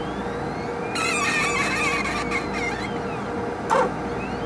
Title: 2 minutes of relaxing sounds from a squeaky HPLC sample pump